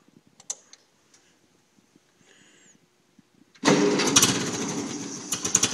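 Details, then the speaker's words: 1950 Ferguson TO-20 tractor, cold start after carb rebuild (Marvel Schebler TSX-458) and main jet adjusted a quarter turn: without choke it cranks with uneven sputtering firing that never settles; it won't start cold without the choke. "But I won't start without the choke, which is a little weird. So, let's see if I can start it now without the choke."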